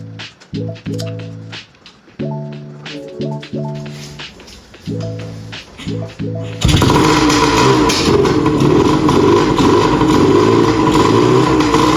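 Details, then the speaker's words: 1981 Suzuki TS185 two-stroke with spark confirmed and oil leaks patched: several sputtering pops trying to catch after multi-purpose spray down the cylinder, then fires and settles into a steady full run with no misses. "So all I did was I sprayed some of that multi-purpose spray down the cylinder for it to pop off. Once it popped off, she ran sweet."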